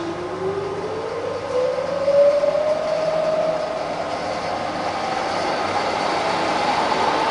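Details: Fully rebuilt Bridgeport milling machine (42" table, new bearings and gears) under power: smooth whine climbing steadily in pitch as spindle speed is wound up, no grinding or knocking; healthy head, normal variable speed operation.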